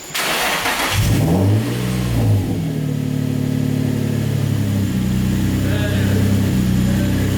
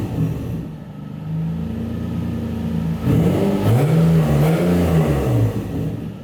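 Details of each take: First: Turbo Nissan 350Z with newly finished custom exhaust, wastegate just refitted: free revs blip up and back cleanly over steady idle, turbo flutter audible, no leak hiss or hesitation; sounds much better, healthy. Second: Turbo Nissan 350Z (VQ engine), non-recirculated wastegate, free revs: raspy chuffing edge over the loud exhaust note as exhaust escapes through the wastegate, whose valve seat is missing so the valve cannot seal.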